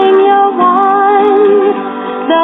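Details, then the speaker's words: 1954 Bel-Aire record player after amplifier repairs, resistor replacement and a reinstalled pot: music plays steady and full with no cutouts or crackle; normal record playback. "that sounds pretty good"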